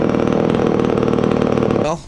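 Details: Poulan 306A chainsaw, run after years of sitting and a carburetor rebuild, still needing tuning: buzzy idle that pulses and sags unevenly before dying away; bogging at idle.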